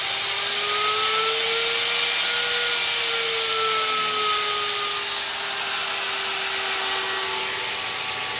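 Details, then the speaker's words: Hitachi/Metabo HPT M12VC router with its speed controller bypassed, started at low variable speed, then knob turned: clean, steady whine climbing and easing back with speed; runs normally. "So now I've got it set to variable speed. I've got the speed turned down on here. I'll turn on my spindle. And you can see it fires right up."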